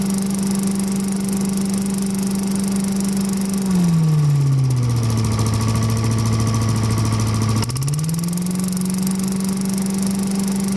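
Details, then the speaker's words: Vintage Heckinger leaf vacuum (possibly MTD-made) with a 5 hp Tecumseh TVS120, needing only a new carb inlet needle, seat and float: a steady single-cylinder drone that briefly dips in speed, then recovers smoothly and holds speed; a healthy engine. "five horse tecumseh tvs 120 and it really didn't need much at all to get it going"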